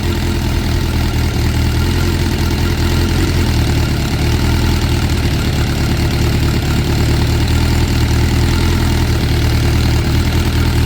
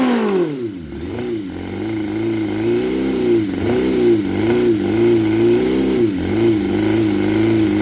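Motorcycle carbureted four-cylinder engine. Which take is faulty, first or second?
second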